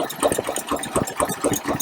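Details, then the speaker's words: 1953 Packard Clipper Deluxe engine at idle after valve adjustment, near number 6 exhaust valve: even, soft idle pulses about four per second with almost no valve noise; valvetrain quiet when properly adjusted. "And as you can hear, it's really almost no valve noise"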